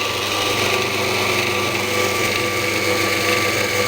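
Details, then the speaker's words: Scheppach DMS 900 lathe after replacing the pulley and bearings: smooth, even hum with a light whir, almost whisper-quiet, no screech or grinding. Before, it screamed, which the owner assumes was the bearings. Normal running. "the first thing I noticed is that it's so much quieter than it was before it used to stream and I can assume that that's the bearings you know now it's super almost whispered quiet"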